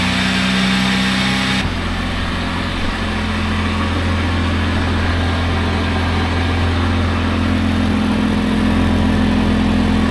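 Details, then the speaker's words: 1997 Lexus LX450 (80 Series Land Cruiser), years unused, battery on charger, at idle on a lift: raspy puffing exhaust note pulsing about 3.5 times a second as exhaust blows out of a rotted muffler with a broken bracket; needs a new muffler. "got some exhaust noise yet it looks like that bracket's broken off up there and it's really rotted out all the way around here it's blowing out right here so it needs a new muffler"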